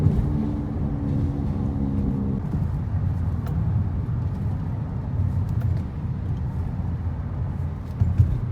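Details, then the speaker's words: 2002 Acura TL Type S at 306,000 miles, worn front left (driver side) wheel bearing: low droning hum over road rumble, fading and returning on left turns; hum grows louder with speed. "see on the left turns goes away and comes back that's definitely a sign of a bad bearing there for sure too"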